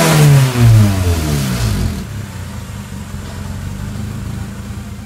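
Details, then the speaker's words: H22-swapped Honda Civic after months unstarted; sharp free revs rising and falling to idle with no limiter pops, two-step launch control not working, owner may need a retune and wideband, cause unconfirmed: launch control not engaging. "For some reason I noticed when I was revving it that my two-step launch control wasn't working."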